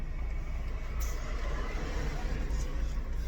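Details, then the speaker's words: 2001 Lexus IS300 brake test after replacing the old, loud pads with new ones: only low road rumble while slowing, no squeak, squeal or grinding; brakes quiet and working normally. "yeah no squeak whatsoever like these brakes are good damn like i actually like what they sound like which is nothing"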